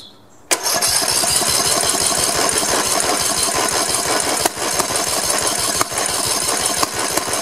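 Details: Old Snapper 1438S rear-engine riding mower after carburetor refitted and fuel flow restored: small engine catches at once and settles into steady even buzzing run, no misses or knocking; running properly.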